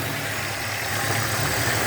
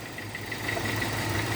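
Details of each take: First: 2002 Hyundai XD (Elantra) after replacing spark plugs and plug wires in correct firing order, fixing cylinder 1 misfire: steady, even idle with smooth low hum, no stumbles; engine firing cleanly on all cylinders. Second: 2002 Hyundai XD (Elantra) at idle, running on three cylinders with cylinder 1 completely dead from a failed spark plug; rough, shaky idle with uneven low beat, misfire fixed by replacing plugs and wires.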